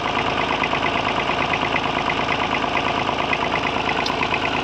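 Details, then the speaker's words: 1950s Massey Ferguson 35 three-cylinder diesel tractor, engine rebuilt years ago after dropping a valve, misfiring at cold idle while warming up: rough idle with uneven crackle and knock about twice a second over diesel clatter, clearing once warm; cause unconfirmed. "There's a different crackle off the engine when it's running like that as well."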